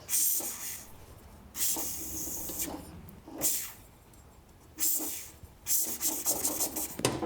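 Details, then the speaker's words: Small engine turned over by hand at the flywheel with soapy water sprayed on the head gasket: short bursts of airy hiss; bubbles confirm leaking head gasket. "sometimes you could hear some air hissing but it might not always be a head gasket leaking so your best to do this first before you tear the engine apart just to find out it wasn't the head gasket"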